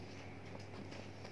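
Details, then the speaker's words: Maruti 800 petrol car with a starting problem, after replacing the faulty MAP sensor: starts smoothly into a low, steady hum with an even beat and no stumbling or misfire; normal idle. "तो car काफी smoothly start हो गई है।"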